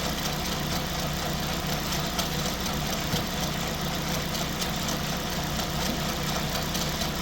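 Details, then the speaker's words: 2005 Pontiac Vibe, Toyota 1.8 engine, 250,000 miles, good compression: light rapid ticking over a quiet steady idle that continues with the drive belt off, coming from inside the engine; suspected timing component, not confirmed. "I don't know, guys. That sounds like a timing component to me."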